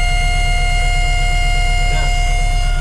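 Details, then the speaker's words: 1994 Chevrolet Monza GLS started after 19 years in storage: a steady high whine that does not follow engine speed, over a pulsing idle. The owner suspects low fuel pump pressure and a possibly failing pump. "eu tô achando que esse carro tá com pouca pressão na bomba talvez tenha que comprar uma bomba nova e a gente tem que trocar tá fazendo uns barulhos ó o barulho estranho na bom aí tá"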